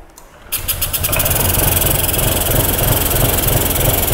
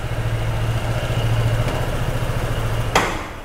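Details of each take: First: 2021 Honda SH 125 FI after servicing, no fault codes: starter spins, engine catches and settles into a loud, lumpy, tractor-like jerky idle; an air leak makes it run rough. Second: 2021 Honda SH 125 FI scooter at idle, diagnostic scan showing air-fuel ratio around 14.7:1 after fault traced to an improvised wrong gasket: steady low even idle pulse, no rattle or hunting before shutdown; normal idle.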